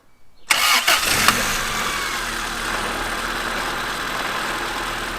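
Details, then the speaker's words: Honda Civic EF engine, just reinstalled with clutch and primed, cranks briefly then catches cleanly into a steady, even idle with no knocks or misses; sounds healthy. "she runs good sounds good"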